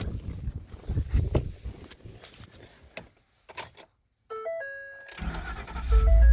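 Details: 2012 Ford F-150 with no power at ignition, fixed by relocking a kicked-loose connector at the passenger-side kick panel: after rustling, clean dash chime tones sound at the key; ignition has power again.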